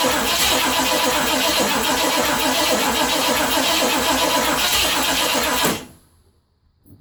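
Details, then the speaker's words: 1980 Ford F100 V8 that sat 29 years, with fresh gas and a little Marvel Mystery Oil poured into the carburetor vent to fill the bowl: it fires, runs rough but steady with an even beat for several seconds, then dies as it starves. "I really can't believe it runs."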